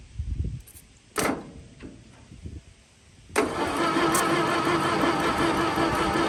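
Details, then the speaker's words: 1922 International truck sat 30+ years, first start attempt: a few clunks then steady dull slow cranking that never fires; starter armature dragging and no spark, cause not confirmed. "uh that starter's dragging real good on the Bendix back there well not the Bendix the uh armatur dragon and she's not getting any spark"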